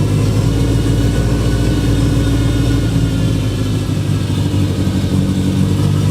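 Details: Freshly built Subaru engine on first start, 92–96 psi oil pressure: loud, deep note with uneven, lumpy beat and no steady idle; runs rough, needs a tune, smoke burning off.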